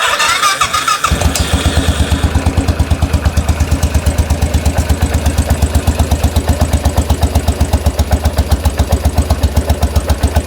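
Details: 2013 Royal Enfield Classic 500 single-cylinder, restarted after engine teardown and reassembly to remove stray bolts: short crank, catches and settles into an even thump about four beats a second, idling cleanly.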